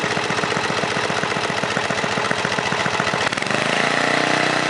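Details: 1978 John Deere Tecumseh HM80 8 hp 318cc engine, originally from a John Deere 826 snowblower and typically a one-pull starter: a small single-cylinder engine puttering at an even idle with no misses or knocks; runs healthy.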